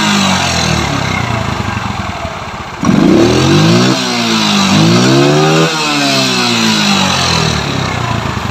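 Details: Yamaha Mio scooter after fitting a Shogun CDI (fires about 14–15° BTDC vs stock 5°) with ignition timing adjusted: small throttle blips rise and fall cleanly, no stumble or misfire; sounds different from the earlier rough running.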